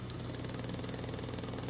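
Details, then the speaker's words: Late-1960s Wollensak 4310 cassette recorder in rewind and fast forward: steady motor whir with a soft regular thump each idler turn, from a flat spot worn into the rubber idler by years pressing the capstan flywheel. "And you may be hearing some thumping. And that thumping is caused by this idler. The other side of this idler that we looked at before has a flap because it was pressing against the capstan flywheel for all those years."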